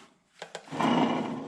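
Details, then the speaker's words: 1974 Jeep CJ-5 front hub turned by hand after loosening the jam nut: two light knocks, then a coarse gritty rumble. The front wheel bearing is badly worn, with metal crazing and fatigue. "so I just loosen the jam nut I wanted you to hear this that is pretty close to losing a baron on the road you know"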